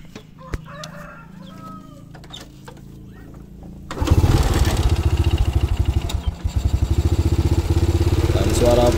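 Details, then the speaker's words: Honda Grand motorcycle single after replacing the camshaft, valve rocker arms and voltage regulator. It starts into a steady, even patter and the valvetrain now runs smooth, but slight cam chain noise remains because the chain was not replaced. "udah mulai halus kembali Tapi sayang masih ada sedikit suara di bagian rantai keteng ya"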